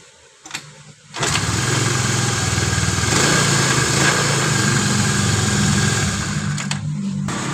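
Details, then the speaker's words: Honda Vario 110 scooter after rewinding stator coil with 0.9 mm copper wire and confirming spark: brief crank, catches and holds smooth steady idle, even beat, no misses; normal start and idle after repair. "Nah ya, ini untuk perakitan sepulnya ini dari awal sampai selesai, dari kita gulung sampai pemasangan sampai dihidupkan, oke, nggak ada masalah."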